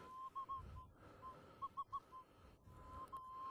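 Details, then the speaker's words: Minelab Eureka Gold metal detector in fast-track automatic ground balance over heavily mineralized ground with iron and black sand: faint irregular chirps break through the threshold tone as background chatter because sensitivity is set too high. "you hear that background noise so now I can turn my sensitivity down a little bit she's completely stable"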